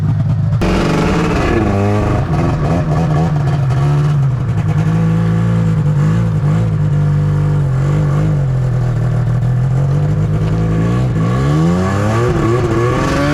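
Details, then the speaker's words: 2005 Arctic Cat Firecat F6 snowmobile two-stroke: pitch sags and wavers under load, bogging because the clutch is sticking and stays engaged; machine keeps moving off throttle. "so as you guys can hear it's bogging like that because the clutch is sticking right"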